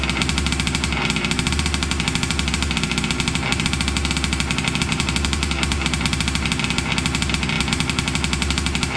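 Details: Losi 5T 2.0 gas two-stroke RC truck on VP fuel after about four to six months stored, choked, started on the workbench up on tires: a sharp, buzzy rattle firing fast and even throughout, no stumbling or cutting out; normal two-stroke running.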